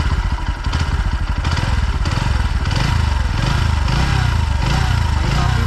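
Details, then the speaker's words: Bajaj Pulsar NS125 after service tightened a loose tappet that caused a chattering noise; even, steady single-cylinder idle thump with no tapping or rattle on top, now smooth. "काफ़ी smooth है।"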